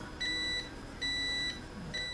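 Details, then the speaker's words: Airline (Montgomery Ward) 62-306 Teledial radio: the on/off switch on the volume control had intermittent continuity. After the contacts were cleaned, the meter gives three clean, steady high continuity beeps as the switch rotates and makes contact, closing normally. "here's a look at how the mechanical switch works again is you rotate the switch and it makes contact here with this point you bring closure here that's showing up"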